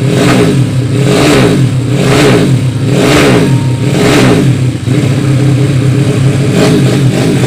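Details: Yamaha Vega ZR with 200cc Mio cylinder swap (66 piston, standard stroke), Tiger carburetor, after re-jetting to main jet 145; crisp blips about once a second, rising and falling cleanly without popping or stumbling, carburetor set right.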